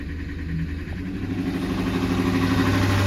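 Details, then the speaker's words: Salvage Mustang: engine hum creeps up and hangs high instead of dropping back after revving, around fifteen hundred, check engine light on from disconnected connectors; idle control suspected; high idle. "maybe someone else has an idea about what could be wrong here with with the idle I guess right right now the idol F fine but as soon as I ref it up it should stay [Music] up"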